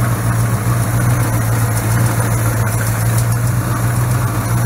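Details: Mopar 318 V8 in a Valiant, started after replacing hard, broken valve stem seals without removing the heads: deep, smooth idle with even low rumble, no misses, ticks or knocks; engine healthy.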